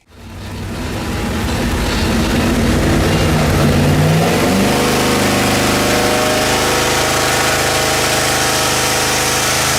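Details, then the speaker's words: Quad-turbo LS V8 on an engine dyno, pump gas, after fixing two dead cylinders and cleaning up fueling: sweeps to a strong, even high-rpm roar with no stumble, about 600 hp; healthy under load. "you now listen to the difference here after we got rid of two dead cylinders and cleaned up the fuel in quite a bit this sounds like an entirely different engine"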